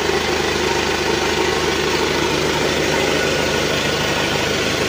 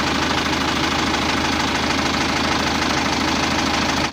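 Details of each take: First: Isuzu Elf NLR 55 diesel after rebuild for a broken crankshaft, idling to reach working temperature with oil pressure good and reaching the cylinder head; steady, even low rumble, slightly rough but no knocking or hunting, then shut off; healthy. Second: Isuzu Elf NLR 55 4JB1 diesel under a year after overhaul; hard, rapid, regular deep knocking at idle; teardown found the crankshaft loose at the front and broken into three pieces; low oil pressure suggested as a possible cause.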